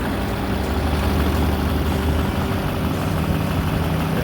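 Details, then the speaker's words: 2008 GMC Sierra 3500HD 6.6L Duramax diesel, Allison automatic, 4WD, 127,223 miles, Edge tuner, parked since about 2021–2022, new batteries, hood up: deep, even idle with steady low throb, no knocks or misses, no smoke; runs smoothly. "Give it a little bit. It starts right up. You can hear it run."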